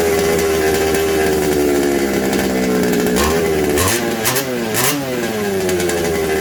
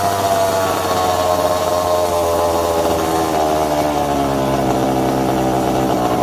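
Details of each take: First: Secondhand 1/5-scale RC Baja two-stroke after replacing a suspected warped isolator block and its gaskets. It revs unevenly, the tone wandering and surging instead of holding steady. The owner suspects an intake air leak. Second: Second-hand 1/5-scale RC Baja with a small two-stroke engine: high-pitched buzz runs steadily, the pitch drifting with small throttle changes, with no stumbles or cutting out, normal running.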